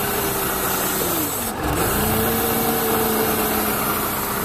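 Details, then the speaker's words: Mercedes C180 Kompressor with P0102 air flow meter codes: idle sags sharply and nearly stalls after electrical cleaner is sprayed near a hissing intake vacuum leak, then recovers; MAF sensor itself fine. "as I was saying I heard that sort of vacuum leak or why looks like a vacuum leak and then when I spray that electrical cleaner as you can see the engine nearly dies"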